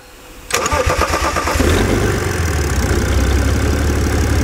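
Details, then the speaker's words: BMW 330d Coupe M57 diesel after repair of engine damage from a timing chain break, short crank catches within a second into steady even idle with no knocks or misses after months idle; normal start and idle. "elle a démarré nickel"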